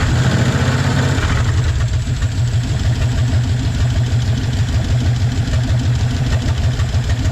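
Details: 1956 Chevy 150 with a 35-year-old V8, just revived, idle; faint quick tapping over a steady low rumble, owner says valves need a little adjusting: valve tick.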